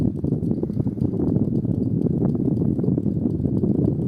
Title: Toshiba Shorai Edge (10000 BTU) indoor unit "clicking" noise